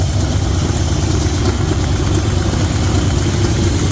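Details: 1972 Chevy C20 V8 that sat many years, idling after plugs were regapped: low, lumpy idle with an uneven beat, a weak cylinder stumbling. Compression is low, and one cylinder's poor reading explains the misfire.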